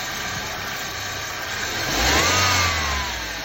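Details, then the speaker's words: 2002 Nissan Altima, son's old car that ran rough with hesitation, after a basic tune-up with new spark plugs and clean gasoline: even, steady idle with one clean throttle blip rising and settling smoothly, no misfire or stumble; running fine now. "sometimes the simple things pay off no more hesitation just with the plugs and some clean gasoline"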